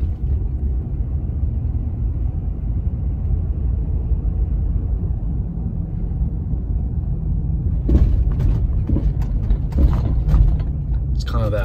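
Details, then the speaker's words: 2010 Ford F-150 4x4 driving over small bumps: steady road rumble, then hollow thunks from the front passenger side, traced to a loose-jointed anti-sway bar link, replaced with Motorcraft links; worn sway bar end link. "it is making a clunking noise over little bumps in the road maybe you can hear it when i hit over and run over some bumps"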